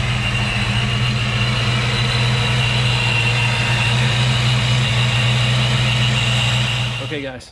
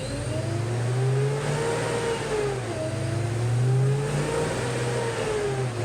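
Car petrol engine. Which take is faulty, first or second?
second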